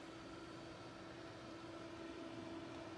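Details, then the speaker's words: New Dell XPS 8930 desktop with loud, steady rushing whoosh and faint hum, CPU fan continuously ramping under load, this being medium level; excessive fan noise persisting after component swaps and a replacement unit, cause undetermined. "this is actually medium this is actually normal before and when it starts to ramp up it really really becomes even more noisier"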